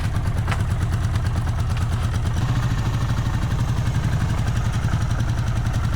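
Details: Restored vintage Honda GL500/CX500 V-twin before its final test ride idles with a lumpy, slightly uneven beat and a hitch partway through; it still stutters and is hard to start, cause unknown, and the owner hopes riding will clear it.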